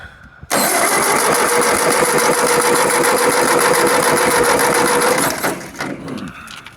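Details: 1951 Ford 8N tractor with a previous owner's 12-volt conversion (alternator not wired in) cranks steadily, about three to four turns a second for five seconds, but never catches. Owner suspects the distributor, with spark on only 3 of 4 plugs; unconfirmed.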